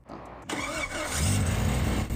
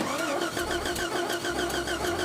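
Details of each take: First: Jeep Grand Cherokee on monster axles, stranded in the forest for days, after being fixed: a quick crank catches at once without a jump start and settles into a steady, even idle with no stumble. Starts cleanly. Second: Jeep Grand Cherokee on monster axles, stranded off-road in the forest, after ignition rewiring attempts: steady starter whirr at about five cranks a second that never catches. Crank, no start; the wiring is suspected.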